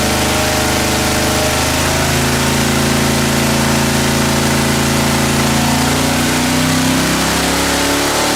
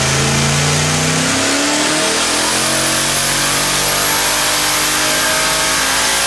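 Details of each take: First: Junkyard LS V8 with twin two-stage BorgWarner turbos on an engine dyno: loud pull with wavering tones and uneven deep thuds under load, misfiring as boost builds; earlier two cylinders misfired, wastegates investigated. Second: Quad-turbo LS V8 on an engine dyno on pump gas, after two dead cylinders were fixed and fueling cleaned up: loud, smooth rising roar pulling up through the revs with no stumbles; clean acceleration on all cylinders.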